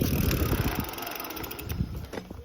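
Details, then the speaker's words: Bicycle disc brake after cleaning hydraulic-fluid-contaminated pads and rotors with rubbing alcohol and sanding, moderate-speed stop on the rear brake: tyre hum and freewheel ticking fade to a stop with no squeal; brake now quiet. "So we're riding moderate speed, front brake, complete stop, no squealing."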